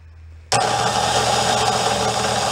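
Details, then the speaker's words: Roadside-found Gilson snow blower electric starter, which previously smoked and tripped the breaker, bench-run with temporary wiring: abrupt strained steady whine drawing heavy current, smoke smell, then blew a fuse; owner suspects shorted windings or a cooked component. "so i gotta i gotta whiff a smoke on the plug side of things that does not smell good let's go go try it again a little draws a lot of current though"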